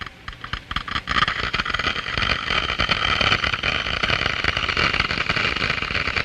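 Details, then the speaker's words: Water flowing through a glass Venturi: a quiet start breaks into loud, dense crackling hiss as flow rate rises and cavitation bubbles of cold steam form at the low-pressure throat and collapse in the higher-pressure diffuser. "small bubbles are formed these are cavities filled with cold steam and other gases diffused from the liquid the noise is generated by the collapse of these Bubbles as they move into the higher pressure in the diffuser"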